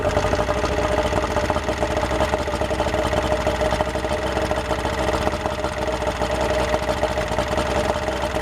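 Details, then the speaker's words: Yamaha outboard with the flushing water on: started normally and settles into an even, steady idle with a smooth low burble and a faint constant whine, with no misses or surging. "that was a pretty good start all right she's warmed"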